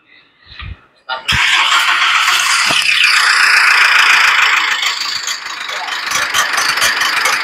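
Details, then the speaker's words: Mitsubishi Pajero Sport 4D56U common-rail diesel before overhaul, recorded when the fuel pump was replaced, started at idle: sharp metallic clatter ticking three or four times a second over the diesel idle, like carpentry; scored camshaft knocking. "Bunyi besi. Ini bunyi asalnya nih. Ini masa ganti pil pump."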